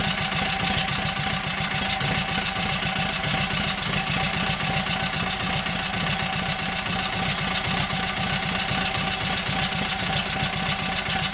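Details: Kohler KT17 twin, first start: steady, fast, even chuffing idle, no knock or miss. Oil pressure 50, governor works and pulls throttle back, timing good; carburetor high/low still needs tweaking, plugs suspect.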